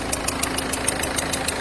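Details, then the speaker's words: Ford Fiesta 1.4 TDCi DV4 68 hp diesel at idle: sharp chuffing ticks about seven per second over the clatter, typical symptom of failed injector seals; faulty seal at far right, timing side; all four seals replaced. "[Musique] c'est des symptômes des joints d'injecteurs va donc remplacer l'ensemble des cas demain de l'adducteur"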